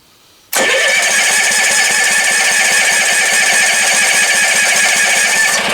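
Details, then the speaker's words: Kohler generator cold start on choke after cleaning out a sticky choke: it catches at once into a fast, slightly uneven choke idle of about 3.5 pulses per second. It is a normal start, and the choke now opens fine. "So when the choke is on, that's what it sounds like. So that was the whole deal. It was just sticky under there."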